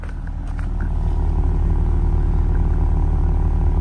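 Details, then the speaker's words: Copart auction vehicle at idle, exhaust listened to: a smooth, even low burble of about three pulses a second with no ticks or rattles; normal idle exhaust note. "oh man wow wow it just sounds so smooth"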